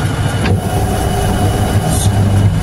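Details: Wansa washing machine in spin: heavy low rumbling grind swelling steadily as the drum turns, no clean tone; owner reports noise, tech suspects then doubts the clutch, noise before reversing; not confirmed.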